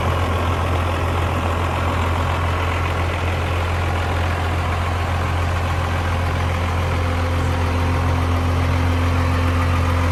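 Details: 1994 Dodge Ram 2500 4x4 with a 12-valve 5.9 Cummins straight-six diesel, 5-speed manual out of gear, 122,314 miles: steady, even diesel clatter at low idle with a deep drone and no misses or knocks; healthy.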